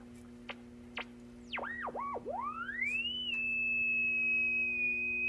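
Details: Silvertone 4586 radio, just recapped, passed dim-bulb test, on mains, switched to shortwave: low hum, clicks, then a swooping whistle settling into a high steady tone, no stations. One 6F6G output tube is barely lit.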